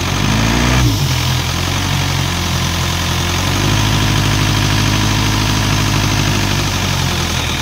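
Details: Isuzu 4LE2 diesel air-compressor engine, which previously would not start (others blamed electronics; smoke came from cylinder 4 intake), now after head work idles smoothly with steady low drone, no knocks, misses or hunting.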